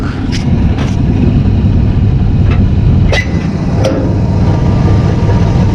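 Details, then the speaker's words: 1959 AMC Rambler 3-speed automatic, sat 40 years, transmission found empty and refilled, warmed to operating temperature, before Seafoam Trans Tune: engine drones at high revs for long stretch before slow upshift into second; gunked transmission suspected. "All right, as you can see, shifting is really slow. I mean, you really got to get those RPMs up there just to get into second gear."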